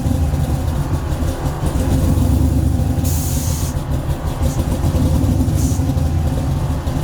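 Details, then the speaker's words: Chevrolet C10 (believed 1972) with 5.3 V8, sloppy stage 2 cam, LSA supercharger about 5 psi, stock 2003 Silverado PCM, before tuning, air suspension cycling: lumpy choppy idle swelling and sagging every second or two, chasing itself. Hunting idle from bad tune. "you can hear how bad it chops and how bad the tune is i was trying to sit here and hunt for an idle going up and down up and down chasing itself give you a kind of an idea what it's like before i tune it"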